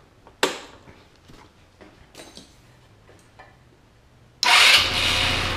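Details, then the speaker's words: GY6 150cc scooter that would not start; after dead battery and stuck exhaust valve sorted, a few clicks then it starts promptly and idles evenly. "looks like uh this Scooter's problem was a a dead battery and uh exhaust valve had gotten hung up"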